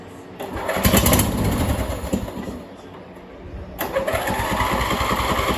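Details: Old MTD Yard Machines engine that sat over five years, after carburetor cleaning and float needle/seat reassembly: pull-start whirring, pause, then catches into a quick steady putter; normal start.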